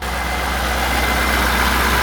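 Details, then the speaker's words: High-mileage C5 Corvette LS V8 just brought back to life, idling: a steady, even low rumble with no stumble or misfire felt. Sounds healthy for its mileage. "She has quite some miles. She sounds amazing for that type of mileage."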